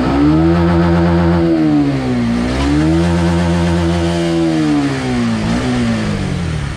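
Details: Honda RS150R motorcycle engine, from a video about its failed cam chain tensioner: clean rise and fall through several revs with no rattle or tapping under the exhaust note; top end sounds healthy.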